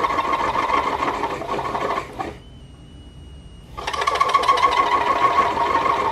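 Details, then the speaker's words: Compact aluminum-case DIY multifunction lathe cutting a 1.5 mm groove in a 5 mm steel shaft: harsh rattling chatter at about three pulses a second, stopping in a pause and returning on the cut, because the machine lacks rigidity. "La rainure de 1,5 mm ne peut pas être tournée correctement en raison d'une résistance totalement insuffisante de la machine."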